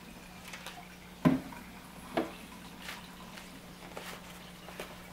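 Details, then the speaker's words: Frigidaire dishwasher LFBD2409LF2B in diagnostic test mode, step 7 drain: faint steady low hum under light water splashes and drips, drain pump running smoothly with no grinding or rattle. "drain drain motor is activated to drain the water from the dishwasher no yeah something that's turning now"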